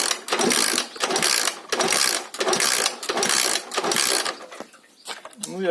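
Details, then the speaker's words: Alpha 110cc moped that won't start, with new spark plug and choke on: kick-over strokes about once a second with no firing and no compression; the plug is wet and spark is good, and tight valve clearance is likely holding the valve open. "бачимо, що нічого не происходить, нічого не происходить."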